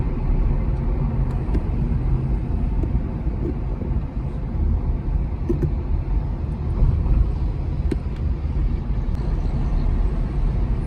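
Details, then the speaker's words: Steady deep rumble heard from the driver seat even around 15 mph, unchanged with side-to-side load, sometimes louder decelerating: wavy, unevenly worn rear tire tread, not a wheel bearing. "In this case, the tread on the tire is wavy, and that uneven wear is what's creating this constant rumble. So, while it may sound like a bearing at first, this is a classic example of tire noise."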